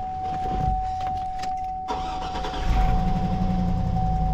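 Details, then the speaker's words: GMC Denali LS V8, higher mileage, after switching oil to Pro lube (previously Schaeffer's): cranks and catches into rough idle with fast uneven light rattle, exhaust leak present; suspected lifter/valve train rattle. "ever since I put prolube in this thing she rattles I did not have a rattle before did not"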